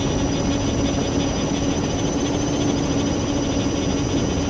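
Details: Multirotor drone with the camera tilted 15° down, which brings bad vibrations: a steady, buzzing rotor whine over a low, unsteady rumble. Abnormal motor noise; the owner suspects the ESCs or motor bearings, not yet confirmed.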